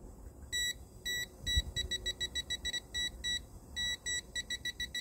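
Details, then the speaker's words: Toptes PT299 combustible gas leak detector alarm: high-pitched beeps quicken near the gas source and slow as concentration drops. "in this demo you can hear the beeping of the alarm increases in frequency as you get closer to the source and then slows down as the concentration decreases"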